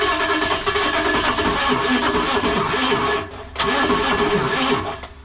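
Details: International VT365 diesel bus engine, grounds cleaned: steady rhythmic cranking churns on for several seconds with no catch or pickup; crank no start.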